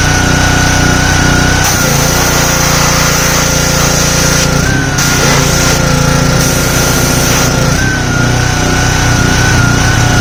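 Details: Simpson 3000 PSI pressure washer, Honda GCV engine, long stored outdoors: pitch steps up and down every few seconds instead of holding steady, hunting; owner suspects clogged carburetor needing overhaul.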